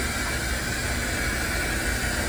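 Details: Samsung washer on its finished spin cycle following the new flange shaft install (the old shaft had come apart, bolts snapped): a smooth, even high-speed rushing hum, no rumble or imbalance thumping; quiet, not bouncing around, a healthy spin.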